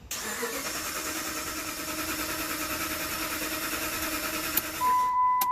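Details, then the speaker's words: 2007 Dodge Ram 1500 5.7L Hemi: steady, even cranking at about three beats a second with no firing, tach moving (crank signal present); crank no start, P0340 camshaft position sensor code stored, cam/crank sync suspected. "you can see the rpm gauge moves so it tells me you got a crank signal but it's a crank no start"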